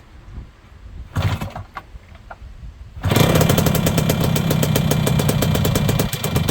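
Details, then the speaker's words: Yamaha YB100 two-stroke with new exhaust, mic placed near same spot as before: start and idle with sharp raspy puffing; still a fairly big exhaust leak, though much less than before. "Got a pretty big exhaust leak. But a lot less of an exhaust leak than there was, for sure."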